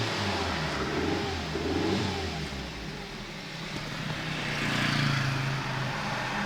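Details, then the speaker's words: 1997 Nissan Almera/Pulsar N15 with the GA14DE engine and about 162k km, first start after roughly 9–10 years sitting. It revs unevenly with a lumpy beat, running on about three cylinders. Spark plugs are blamed; it ran on four after they were cleaned. Engine misfire. "So yeah, it started on like, it must be on 3 cylinders now."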